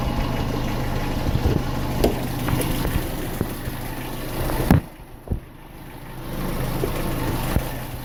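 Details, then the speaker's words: Renault Symbol K7J at idle, before the planned timing chain replacement: sharp, uneven ticks and knocks about every half second. Engine knock; cause suspected, not confirmed. "Привет всем, пацаны, решил я поменять цепь ГРМ. Вот она как у меня стучит."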